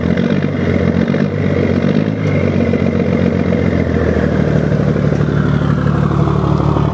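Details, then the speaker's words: 1975 Scania truck diesel, engine just rebuilt, at about 1500 rpm: deep, smooth rumble holding steady through a gentle rev with no knocks or rattles until shut off. Oil pressure is not dropping. Normal, healthy running. "ouviram aí o ronco ó sem judiar galera só o motor acabou de fechar né"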